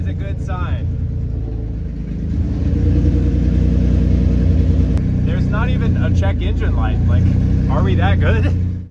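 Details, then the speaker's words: Nissan 350Z after engine and transmission reinstall, following fixes including a connected ground strap: engine catches, settles into an even, steady idle, revs up and down cleanly with no misses or knocks; good oil pressure, healthy. "Happy to say that it's got good oil pressure, it sounds healthy, and I don't think we have any leaks."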